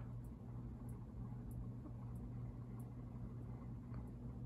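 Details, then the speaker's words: SMC vintage ceiling fan with round globe, newly installed in a historic theatre/church basement, on high: steady smooth low hum, no wavering, no swirly bearing sound, no rubbing; quiet healthy bearings, normal running. "okay and go to high as is the case with a lot of uh smc's especially DC 52s the uh pum kind of Smooths out on"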